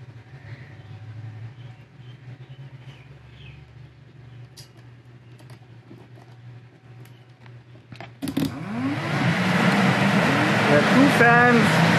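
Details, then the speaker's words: 1999-2002 GM NBS truck (Silverado/Sierra) aftermarket 9-blade electric fan swap, both fans grounded for high speed in parallel: quiet low hum then sudden loud steady air rush as fans jump to turbo speed; normal high-speed fan operation. "turbo speed holy smoke okay"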